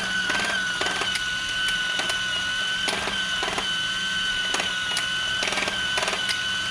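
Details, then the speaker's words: Discovery Mindblown 4-cylinder model engine kit, first run after final assembly: steady motor whine with irregular clacking bursts about every half second; drive gear skipping from poor mesh, motor not seated tight. "This is it running. My gear is skipping a little. I'm going to see if I can fix it."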